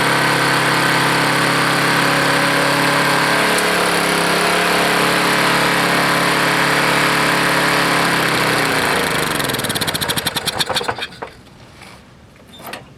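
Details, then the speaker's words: Roadside-found Lawn-Boy mower, 149 cc engine, started on carburetor after fuel line flush: racing at fast steady high speed, then cut and coasting to a stop; idle speed set far too high. "um it was uh the idol was very high i mean the speed was very high"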